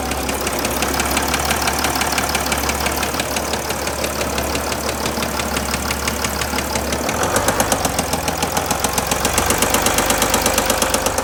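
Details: 2007 Mercedes ML320 (W164), OM642.940 diesel at idle: a sharp, uneven metallic ticking about three times a second over the diesel clatter; engine knock of unknown cause.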